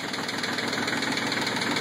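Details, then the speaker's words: CK20 diesel cold start at 37°F, glow cycled, throttle back, one or more glow plugs suspected dead: rough knocking uneven running with heavy smoke, rogue cylinder firing more often until smoothing after several seconds; rough running on cold start. "glow off glow on doesn't matter you can hear it pluming there's a fire fire fires plenty of smoke still not right"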